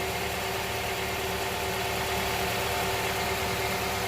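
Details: Honda Prelude SH idling warm, about ten minutes after start, following oil cooler/adapter gasket replacement for an oil leak; even, steady idle hum with no ticking, knocking or hunting; healthy, leak appears fixed.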